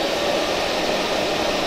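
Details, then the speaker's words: Solder fume extractor fan run up to full speed on its fan controller, lid off: steady, even rushing whoosh with smooth mid-pitched hum, no wobble or rattle; extremely powerful airflow, blower spinning freely. "I've just fired up the fan controller and the fan in this is actually extremely powerful if we start spinning it up to full speed"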